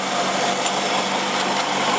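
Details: 2001 Chrysler Sebring 2.4 after head gasket replacement (blown gasket, water in oil) and new timing belt, first start, mic near engine: busy, even hiss and whirr, no knocks or misses before shutoff; idles smoothly.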